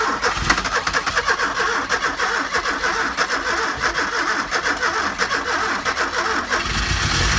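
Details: Ford Escort RS Turbo, sat for years, started with a temporary fuel pump because the original pump could not be heard running: catches after cranking and settles into a steady, slightly lumpy idle with no knocking or grinding.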